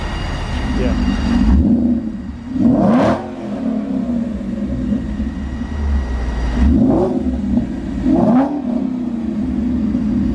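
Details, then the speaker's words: Mustang with Borla exhaust after fixing the crooked tips: sharp throttle blips rise and fall cleanly with a deep, even, quieter note and no drone, rattle or leak. Normal exhaust note. "so it definitely sounds quieter he's gonna like this a lot better"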